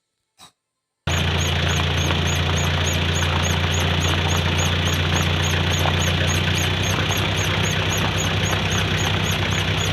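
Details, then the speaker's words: Pickup truck pulling away in first gear: fast, regular high chirp, three or four a second, over low drivetrain drone, from under the car along the centre propeller shaft, middle to rear; dry seized universal joint squeak. "ถ้าเสียงอาการแบบนี้ก็อยู่ใต้ท้องรถเลยครับก็จะอยู่ระหว่างช่วงเพลานะครับเทาขับกลางนะครับผมมันจะดังอยู่ช่วงกลางถึงช่วงหลังนะค"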